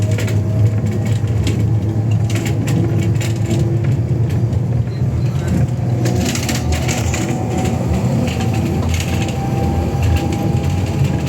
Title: Custom Coaches Scania K320UA J1 to Elizabeth Bus 1142 bus making strange noise it's broken Clunking